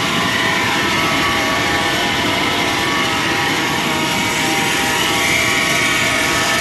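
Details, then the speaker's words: 1995 Chevrolet Silverado 1500 extended cab V8, automatic, 4x4, just after start: steady hissing whir over the idle with no knock, from the A/C compressor pulley, not the alternator; the compressor is thought to be running dry and needing oil, engine otherwise runs well. "C'est plutôt la poulie du C'est là que le bruit provient, c'est le compresseur. Donc euh ouais, il a peut-être il a certainement besoin de lubrification."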